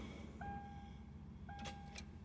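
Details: 2000 Subaru Outback that won't start: a dash chime, then a couple of sharp clicks with no cranking. The battery was ruled out, and the owner suspects the starter or the steering lock, which isn't locking.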